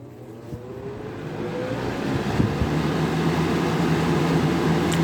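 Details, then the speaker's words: Vintage 1983-84 Sears model 453-8121, a 20-inch deluxe fan with thermostat made by Lasko, switched on at high: hum and airflow rush build smoothly to a steady, even drone with no rattle or scrape. Nice startup, healthy. "It's got a really nice startup sound. Runs pretty good."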